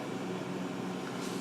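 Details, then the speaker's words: Refrigerator after installing a new start relay, overload reused, previously ticking and not cooling: steady low compressor hum with soft airy whoosh of the condenser fan running normally, drawing hot air away and evaporating defrost water. "fan is on which it should be to draw hot air away and evaporate water and he should collect during defrosting"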